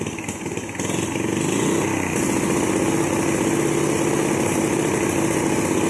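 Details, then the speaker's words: 420cc turbocharged drift trike with newly installed electronic fuel injection: engine revs up and holds a busy drone while a faint thin whistle rises as boost comes in; turbo spooling normally. "I can hear it. I can hear the turbo, dude."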